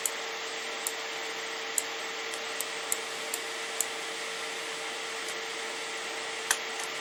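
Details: Radeon RX 570 graphics card's single fan running fast under gaming load, custom curve 80% from 40 degrees: steady rushing air, constant whine, some sharp clicks; fan running normally.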